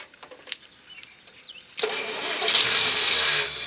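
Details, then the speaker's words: 1964 Studebaker Daytona, first start in 25 years: quiet, then cranking to build oil pressure it unexpectedly catches into a rising roar for about two seconds, fuel squirted in carb bowl; oil pressure then comes up. "Ooh, hey, that sounded pretty good. Although it really shouldn't have done that."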